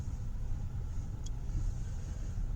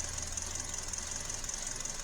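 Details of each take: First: 2012 Hyundai Elantra after misfire repair (codes P0301-P0303), verification test drive; low even engine rumble under road noise with no stumbles or skips, idle smooth, misfire gone. Normal engine running. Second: 2012 Hyundai Elantra with codes P0301–P0303 at idle, customer says plugs are new: steady idle with a faint uneven pulse and slight stumble; cylinder 2 has a dead misfire, sparking outside the cylinder.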